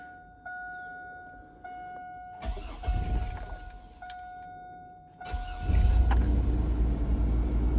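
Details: Mid-to-late 1990s Chevrolet Astro AWD van: starter catches quickly, engine settles into smooth even low idle without knocks or misses; decent oil pressure, healthy start and idle.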